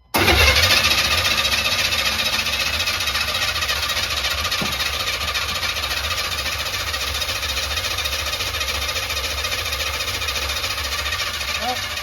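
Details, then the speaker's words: 1984 Chevy Square Body pickup, engine just retimed to top dead center, new 45-heat-range spark plugs replacing 35s, radiator empty: steady starter cranking about three and a half turns a second that never catches, because the ignition feed wire was left disconnected. "We forgot to put in the uh um the voltage for the uh the starter uh the uh hi. Yeah, I didn't have that on. That That'll make it not run every time."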